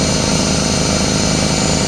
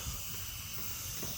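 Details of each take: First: Craftsman 33-gallon air compressor, after repairs (piston, seal, belt, pressure switch leak): steady fast pumping chug holding evenly about nine seconds before shutting off; filling normally. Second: Craftsman 33-gallon air compressor, motor off after filling: steady even high hiss with no pulsing as pressurised air escapes at the air hose coupler; the pressure switch leak is already fixed, and the coupler needs replacing.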